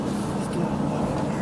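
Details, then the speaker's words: Chevy Suburban on a test drive after a U-joint replacement: only a steady, even road hum with no clunk, squeak, rhythmic knock or vibration from underneath; the driveline sounds healthy. "guess it's not making noise no more no i don't hear it no more no vibration no more thinking noises it sounds good"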